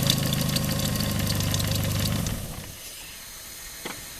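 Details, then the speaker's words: Daihatsu engine idles about two seconds with a coarse gritty hiss and rough rumble, then shuts off; owner suspects worn alternator bearing, belt recently shredded; alternator bearing later replaced. "I should give it a start. I don't know if you will hear noise. You can hear the noise."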